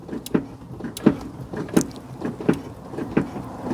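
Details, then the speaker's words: Smart ForTwo 451 offside rear drum brake, newly replaced self-adjuster, drum refitted and pedal stamped to finish adjusting: a dull click with each stroke, roughly every 0.7 seconds, a couple of clicks; normal self-adjuster ratcheting. "There was a couple of clicks, but I was going a bit rough arse with it."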